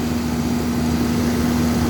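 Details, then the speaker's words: Old R-22 York air conditioner condenser at a preschool, after repair with new parts, blowing good and cold: steady compressor hum with a constant mid tone and fan rush, no rattles or cycling; normal running. "But everything new now. It's running good."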